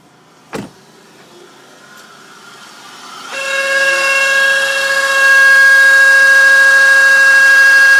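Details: 2001 Impala, driver's side of the engine compartment, mostly on first start after sitting or with the A/C on: a thin high whine rises and holds a steady pitch; a worn radiator cooling fan bearing, fixed by replacing the fan unit.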